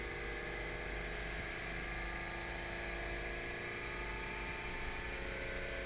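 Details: Pulse motor on a test rig whose potentiometer keeps burning out, spun by hand and switched on while charging a battery: a constant, even buzzing whir at the same pitch with no knocks or stumbles; it runs properly.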